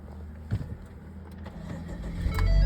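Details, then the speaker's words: 2020 Ford Fusion 1.4 EcoBoost that acted like a dead battery: weak, hesitant cranking, then catches cleanly and runs steadily; alternator found putting out almost 20 volts, to be replaced. "Starts right up."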